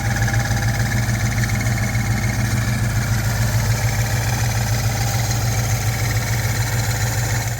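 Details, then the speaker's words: 2000 Ford Explorer XLT 5.0 V8 idling, Meziere WP374 electric water pump: rhythmic rattling chirp about three times a second from wobbling idler; cracked idler retainer plate caused play at bushing after bushing replacement; fix: replace idler assembly. "after I replaced that idler bushing the sound went away for a couple days and then I was presented with a new sound that was uh a little bit different than the sound that I had just repaired"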